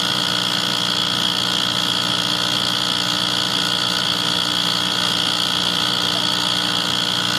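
Constant droning hum with steady pitches that never rise or cycle, just running on; cause of the drone not clear.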